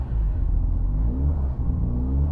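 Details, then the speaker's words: Highly modified ~700 hp 2004 Mitsubishi Lancer Evo VIII, idle hanging near 3,000 rpm: high idle rising and sagging every second or so; vacuum leak and faulty idle air control valve suspected; idle surge. "Idle surge, yeah. We got a couple of things going on. We've got vacuum leak, and potentially idle air control is freaking out trying to compensate."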